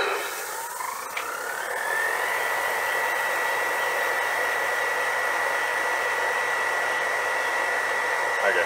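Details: JoJo 1.5 kW variable speed drive booster pump at high speed, around 5 bar for a single shower drawing about 1.45 kW: motor whine climbs smoothly then holds a steady high pitch, no roughness; healthy.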